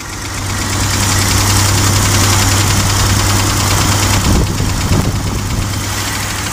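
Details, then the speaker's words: Gasoline engine: heavy hollow knock about three and a half times a second, strong and low down over the running engine; a broken piston skirt slapping the cylinder bore. "este caso se presentó como logramos escuchar ese golpeteo fuerte solamente se escuch"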